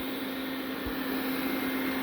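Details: Roborock robot vacuum after repair with new leg parts and a new vacuum motor: steady even hum with a fixed tone and smooth airflow, no rattles or surging; suction motor running normally.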